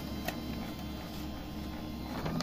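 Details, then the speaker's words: Canon MF232 printer while printing: steady low whirr with faint buzzing that grows loud and speeds up, then spits out paper and jams; fault attributed to the formatter board, which needs replacing. "такой мощный мощный звук изображение ночью и ничего так но жужжание ускоряется просто бумагу выплевывает и получается Джам"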